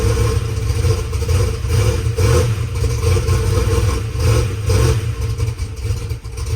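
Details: Methanol drag race car V8 after sitting two weeks, first start with brake clean primer: deep choppy loping idle with light rocker arm clatter, a little noisy but not terrible; no exhaust leak heard, engine running fine.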